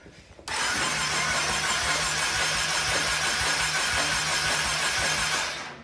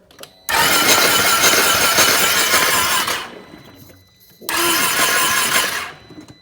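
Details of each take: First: Flooded salvage 2020 Can-Am XMR 850 ATV, 130 miles, cranked without firing to check for water from exhaust: quick even cranking pulses under a steady whirr, spins freely; exhaust pretty dry. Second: Flooded salvage 2020 Can-Am XMR 850 ATV turned over with both spark plugs out: two bursts of harsh hissing spray as clean water is blown out of the cylinders; engine apparently not locked up.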